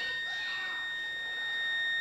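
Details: 1950 military radio AN/GRC-26 with weak tubes awaiting replacement: steady high whistle at one pitch with fainter higher overtones and no rhythm; fault in the old tube set, cause unclear, a resistor had earlier smoked.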